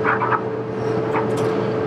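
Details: Amana dryer with a new heating element (DPD 279838) for a no-heat fault, element glowing and producing heat: steady even hum with a faint constant tone and soft tumbling thuds, no scraping or squeal; running normally.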